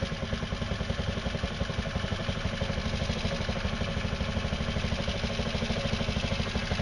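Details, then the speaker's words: Scooter being set up to run on hydroxy gas, fuel line clamped before the fuel pump and cell off: small engine putters at a fast, slightly ragged idle on fuel left in the carburetor. "so there must be still a little bit of fuel still still a theit fuel in the carburetor so we'll try it again"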